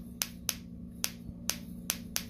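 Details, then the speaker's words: Bench test of a Mercury outboard distributor trigger (third backup), shaft turned by hand: sharp, crisp, clean snaps about twice a second, sparking on each rotation; trigger firing properly. "Okay, we're just testing to make sure. Yep. And every time you rotate this, it should spark."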